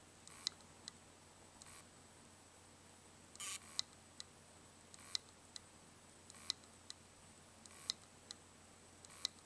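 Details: Western Digital WD3200BEVT-75ZCT2 320GB 2.5" hard drive, dead: sharp faint clicks repeating roughly every second in a quiet room, classic clicking of a failing drive.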